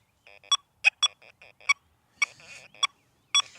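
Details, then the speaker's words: XP Deus II metal detector set up for heavy iron, swept over a large nail at silencer 5: short high chirps in uneven bursts still sound on the iron, so the silencer must be raised further. "Well, even with a silencer five, it's hitting it. So, let's just shut her down a little bit more."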